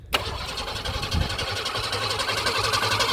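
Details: Ford Falcon (about 1965, year uncertain) garage-kept classic: starter turns the engine steadily at three to four pulses a second but it never fires; cranks, no start.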